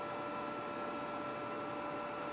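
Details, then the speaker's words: Cable fault locator on a cleanly cut wire buried under tile, with a 1.8 meg ground fault from thinset moisture; set to watts, about 3 W, it gives a steady gentle buzz with faint crackly hiss as a spark bridges the cut; cable fault arcing. "now I've got a nice gentle buzzing coming out of this that uh sounds like it's making a good spark"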